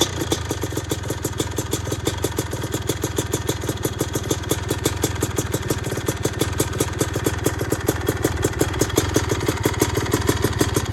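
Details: Yamaha YZ250 two-stroke engine swapped into a Suzuki RM-Z250 frame, fitted with a Smartcarb, started from cold on the first kick: a crisp, even popping idle with a steady rapid beat and no misses, running cleanly and settled.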